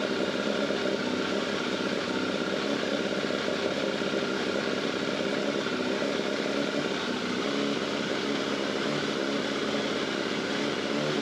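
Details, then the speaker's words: Yamaha FZR600, cold and running without the airbox, after an oil change and filter that topped up oil found low; the earlier suspected timing chain rattle is gone, leaving a steady, even, healthy idle. "that sounds normal"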